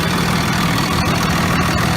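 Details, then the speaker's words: 2001 Dodge Ram 2500 Cummins 24-valve diesel after replacing failed VP44 injection pump, injectors fine, recorded near exhaust: deep, steady idle with even clatter, no misses or knocks; runs much smoother, healthy. "grunts much smoother let me go down by the exhaust so you can hear just how beautiful it sound"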